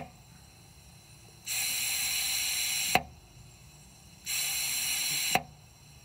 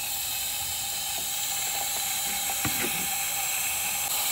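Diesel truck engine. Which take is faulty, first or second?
second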